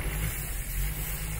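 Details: Nissan Skyline GT-R RB26DETT on a Haltech ECU with MAP sensor, idle set high and running rich: low, uneven idle that sags and nearly stalls, from a vacuum leak at the throttle body and head found by spraying cleaner; causes low boost and stalling when hot.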